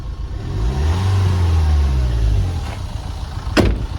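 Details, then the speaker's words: Mini after replacing injector seals to cure bad injector puff, reassembled; revs up smoothly and drops back to an even idle, deep steady rumble, rattle gone, no knocks, runs healthy. "Sounds all right. There's no major horrible noises."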